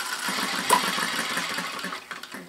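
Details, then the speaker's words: Retrol 7cc four-stroke hit-and-miss model engine with electric start, now on white gas instead of Clark Super 100 with no difference: quick, light, even, crisp puttering with no rough patches; healthy normal running. "isn't that running nicely now to start with I was running it on Clark super 100 but now I'm running it on white gas and that's it there's no difference really"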